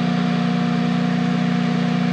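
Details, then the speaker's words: Generac home standby generator previously faulting with over-crank code 1502 and RPM sense loss, now running after transferring the load: an even, steady low hum with no knocks or surging; output holds 242 V at 60 Hz. "at 242 still holding right in there at 60 HZ good to go on that it transferred over to the generator"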